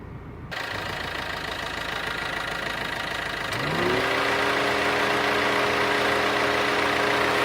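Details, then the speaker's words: Ciaz diesel with air conditioning on and engine idling steadily: the radiator fan whooshes up in pitch about halfway through, then settles to an even hum. This is normal radiator fan operation, with no abnormal clicking or switching noises. "so that's it that was a radiator fan noise and this was a blower speed noise no additional noises made by curve"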